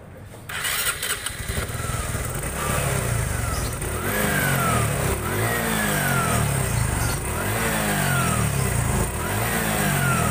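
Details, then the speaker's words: Honda Supra 125 FI motorcycle after timing chain installation was corrected: fires cleanly after a short crank, settles into even running with smooth throttle blips; repaired and running normally. "Ya, motor udah rada enakan Mas Bro. Ya, ternyata kesalahan di motor ini tadi pemasangan timing ketengnya yang salah, menjadikan motor nggak normal."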